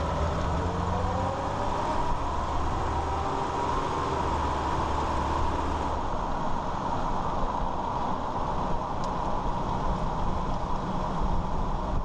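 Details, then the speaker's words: 2001 Ford Ranger 4x4 driving after the front driveshaft CV joint was rebuilt: only a smooth tyre and drivetrain hum while cruising, with the previous low-speed clicking rattle gone. "all right so as you're heard the noise is gone the rattling so yeah if you all have this problem I'll hear that rattling sound"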